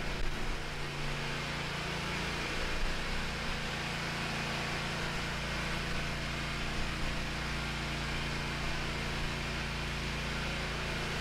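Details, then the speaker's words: Hustler Raptor SD zero-turn mower, on jack stands after seat switch fix and battery recharge, had been dying when moving or engaging the deck; engine runs smooth and even with a steady note, no knocks or stumbles. "yeah okay I got bit a little bit of hubris but that's okay mower is working again"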